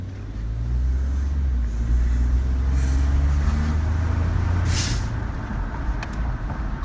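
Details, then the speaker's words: 2012 Ford F-150 XLT 3.5L twin-turbo EcoBoost, about 64,000 miles, accelerating past a wall to reflect passenger-side sound after exhaust manifold gasket repair: deep smooth exhaust rumble builds evenly, no squeal or ticking; sounds good. "here's a wall so you can hear more of the acoustic on that passenger side everything sounds really good"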